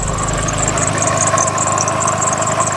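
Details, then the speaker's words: Toyota RAV4 cold start at idle: steady high chirping belt squeal with a duller whine, a mellow scream, beneath it; slipping belt. "Now, on top of that horrible bell squeak, you can also hear a different sound, almost like a mellow scream."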